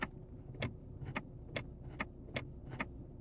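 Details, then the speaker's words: 2012 Ford Mustang whose gauge cluster goes haywire in park after sitting three weeks, battery and alternator good: sharp, even clicks about every 0.4 s when pressing the brake show the shift interlock solenoid working; likely gear selector button fault. "Now my shift interlock seems to be working because I can hear it when I'm pushing the brake. I can hear it clicking."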